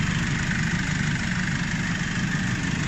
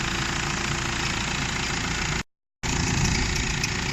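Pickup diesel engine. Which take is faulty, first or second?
second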